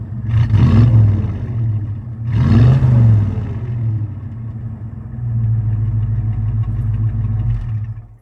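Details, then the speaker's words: 1986 Ford Mustang with a tired V8 from an 1988 T-Bird, dyno tuned to 130 wheel horsepower, heard from behind: two strong blips then a steady, even idle with no knocks or misses; runs well overall. "because I'm gonna start this thing back up again and let you guys listen to it out back, because, like, it runs pretty darn good overall."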